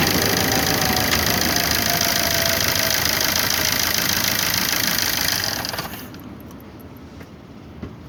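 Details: 2009 Opel Corsa D 1.3 CDTI 75 hp diesel at idle until shut off: hard, rattly, metallic clatter; owner finds the engine very noisy and asks if it is a problem or normal.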